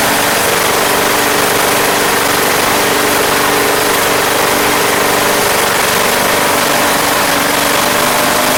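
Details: Craftsman Platinum lawn mower, Briggs 190cc engine, running after a no-start fix with a replacement carburetor: even, unbroken buzz at steady governed speed, no surging or misses; gas was seen from the crankcase vent, yet it runs smoothly.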